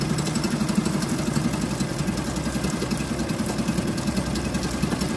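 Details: Suzuki DF2.5 2.5 HP outboard, revived after long storage without disassembly: steady, even putter at idle with no misses or knocks; running normally.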